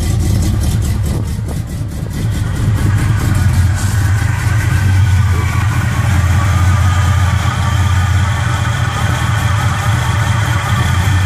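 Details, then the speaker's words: 1969 Impala small-block Chevy with Holley carburetor just adjusted: deep, steady V8 idle with lumpy cam lope, even firing, no misses or knocks; carb running right. "But I got this bad boy exactly how I want it, y'all. Let y'all hear it. Pretty good."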